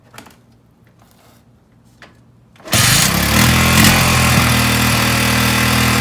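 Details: Honda ATC 200x after tank flush, new petcock and fuel line hookup: fires on the first kick and settles into a quick, even beat with no misses or knocks; runs cleanly.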